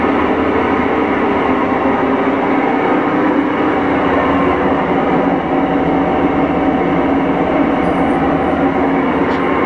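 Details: Whirlpool Cabrio top-load washer on spin before a new bearing/seal kit was installed: a loud, steady roaring rumble from worn, rough tub bearings; the tub was stuck on a badly corroded shaft.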